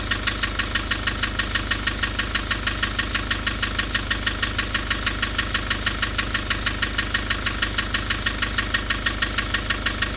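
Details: Nissan Urvan Estate with ZD30 (E25) diesel at idle: very steady hard pulse about three times a second with an uneven, lumpy beat; rough idle with white smoke, low compression.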